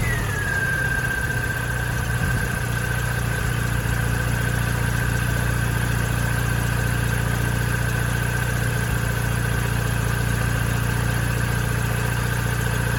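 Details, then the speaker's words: Mini Cooper S R53 supercharged, at idle: steady high squeal dipping slightly in pitch over low idle rumble; owner suspects a serpentine-belt-driven pulley, possibly alternator or supercharger, not confirmed. "it sounds like there's an issue with one of the pulleys that is being controlled by the serpentine belt now i don't know which one that is i don't know if it's the alternator i don't know if it if there's an issue with the supercharger itself it's a very squeaky irritating sound"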